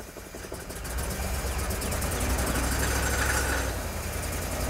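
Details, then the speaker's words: 1998 Jeep Grand Cherokee Limited 5.9 V8, 119,000 miles, abandoned 5 years, suspect clogged fuel injectors: uneven stumbling idle with surging pulses, misfire-type running, then stalls. "yeah it's running really bad yep and it's dead"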